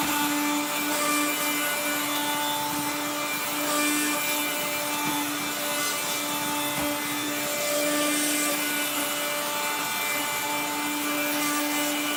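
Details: 1970s blue Regina Electrikbroom 3-speed vacuum, just arrived, vacuuming a floor. The motor and fan are dry after someone washed it. A steady high motor whine has rough, gritty scraping throughout from a dry motor bearing.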